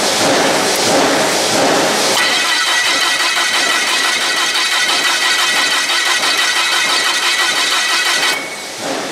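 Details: Komatsu GS20 (model uncertain) with a crank-no-start, no-spark fault, checked with a PicoScope and amp probe: long, even cranking with no firing; the ignition coil is suspected weak, with about 12 V arriving from the igniter.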